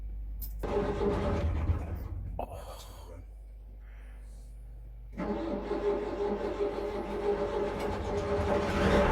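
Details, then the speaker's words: Sailing yacht diesel engine (38ft steel pilothouse cutter) not run for 15 years, test start: cranks, catches and clatters steadily at about three beats a second; starts and runs. "Okay, once more. Bit of heat. It's running. Sounds nice."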